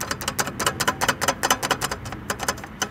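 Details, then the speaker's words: 2020 Zero SR/S electric motorcycle, floating brake disc after cleaning rivets with brake cleaner to cure braking vibration: disc now moves freely clockwise, counterclockwise and under half a millimetre in depth. Light, loose metallic clicks in uneven bursts as disc is moved; normal floating rattle. "you see that the disc is truly mobile and it's not again not only mobile clockwise and carton counter clockwise but also in depth"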